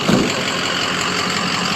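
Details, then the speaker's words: Ford 6.0 Powerstroke diesel, warmed up and idling after a tune update, recorded walking around the truck: a steady, even clatter with consistent firing and no misses or surging. Normal warm idle. "I'm going to walk around the truck and show you guys does that uh what it sounds like while it's warmed up"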